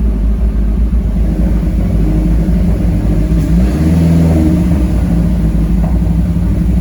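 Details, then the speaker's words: 2010 Mazdaspeed 3 first start after an engine swap, fuel-primed; low uneven rumble with a wavering note as revs rise and settle, running rough; suspected misfire from the old spark plugs still fitted. "running a little rough right now i think it might just be uh spark plugs i can feel like a little misfire going on"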